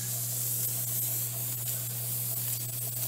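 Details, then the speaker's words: Weight-regulated pressure canner canning potatoes, coming up to pressure. A steady soft hiss of steam over a low hum, and the sound changes just before the weight starts jiggling. Normal venting. "up the pressure according to the gauge you can hear the sound change right before it starts there it so now we can turn the heat down because we don't need much heat to be able to maintain the pressure open here on out a little jiggler is gonna maintain the correct pressure"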